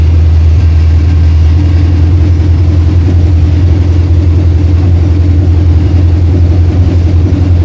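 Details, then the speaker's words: 1968 Mustang V8 on long tube headers, fired with a jumper bypassing a coil power wire fault (power only in crank): loud, deep, steady rumble at fast idle, firing evenly without misses; motor healthy, normal running. "we know the motor is healthy. I mean, it was rumbling my I get it. We're on long tube headers, but it was rumbling the building."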